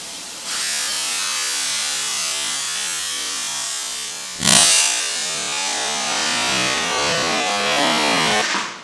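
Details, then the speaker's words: Braun steam generator iron, roughly 10 years little-used, descaler added, very hot: steady hiss of venting steam then a sudden louder spitting burst that settles back as lots of limescale discharges. "Well, I think it's safe to say there's a lot of scale up there."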